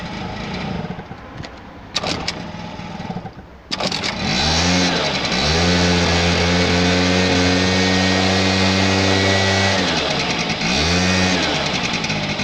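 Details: 1985 Honda Vision two-stroke scooter, previously flooded, top end drained by tipping the bike over; after some rattling it catches near four seconds and settles into a steady, even idle with a brief blip, starting and idling normally.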